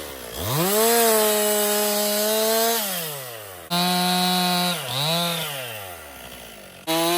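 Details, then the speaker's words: 2018 Stihl MS261 M-Tronic chainsaw, construction use, complaint of hard starting and bogging when hot; with a swapped bar and chain it revs to a clean steady high pitch through the cut, recovering smoothly with no stumble; no problem reproduced yet. "So, I'm going to shut it off. I'm going to let it sit. I didn't have any problems with it."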